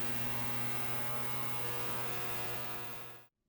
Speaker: humming you may hear a low humming when you set an element to a high power setting this sound is generated by energy transmission and it will disappear when cooktop is turned off or at lower power settings